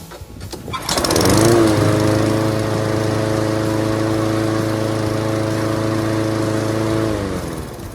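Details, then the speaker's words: Push mower that would not start after winter storage, given a couple of shots of starting fluid into the carburetor throat with the air filter off: it catches on the first pull and settles into a steady, even run with no misses. "So, that should get you going."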